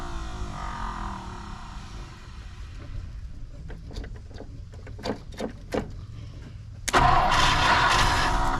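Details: 1959 Ford Thunderbird 352 V8 parked 33 years, gas poured down the carburetor, coil connected: starter churns about four turns a second, briefly catches but will not keep running; likely fuel-starved.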